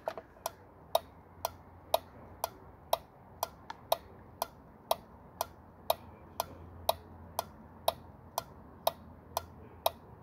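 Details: 2000 Ford F-350 with 6.8 V10 gasoline engine, cranks but won't start with a fuel pressure problem: five-pin relay on a bench tester clicking crisply and evenly about once a second; relay passed, working fine.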